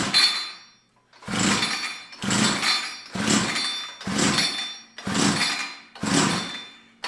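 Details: Tecumseh TC300 two-stroke ice auger with fuel poured into the cylinder: about one pull a second, each a brief rasping crank that never catches; plug possibly flooded with WD-40.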